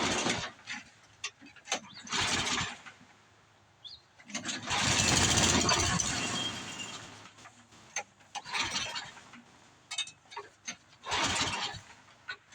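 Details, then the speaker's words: Craftsman 826 track drive snowblower after auger belt replacement (31-inch belt); repeated pull-start cranking with no firing because the tank was empty of gas; engine cranks but will not start, no fuel. "Guess if it would help if we put gas in it."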